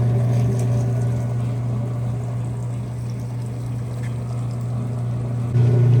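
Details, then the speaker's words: Repaired Roper top-load washer running a full cycle after fixes: steady even low hum through spin with no knocking, grinding or surging; whole cycle completed with no issues, normal spin. "all right guys just finished the whole cycle everything worked no issues"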